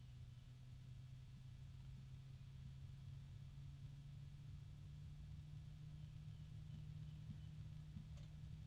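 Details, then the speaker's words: Ocypus Gamma F120 PWM ARGB fan spinning slowly on low speed; steady even low hum near 150 Hz throughout, with rubbing and ticking noted soon after; unexplained motor hum. "And this is moving pretty slowly. We've got it on low right now. There's a low hum coming from it too."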